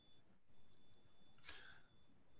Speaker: you you you hear the squeal and then you if you bring the brake squeal the the speeder and a certain point it jumps back